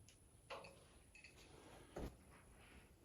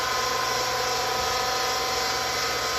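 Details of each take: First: Vertical well jet pump after a seal repair, primed with bucket water: quiet, then it kicks on with a steady, even whine and constant motor hum. Pressure jumps up with no leaks, so it is running normally. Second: Vertical well jet pump just after its seals were replaced, mounted higher than the tank, restarted: a steady high motor whir with an airy hissy rush and no water-moving load. Spinning dry, not catching prime.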